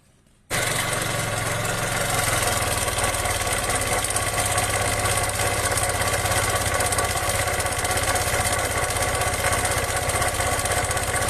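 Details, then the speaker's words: Kymco 150 scooter engine with its cover opened to find the noise: loud, harsh scraping rasp over steady running; the bearing has play and wobbles, not the exhaust, so it is a broken bearing with excessive clearance. "alr kas nga may problema tayo dito ah maingay to tingnan natin kung kaya i-adjust ma- bearing para maalog eh yan oh may gewang tama bearing"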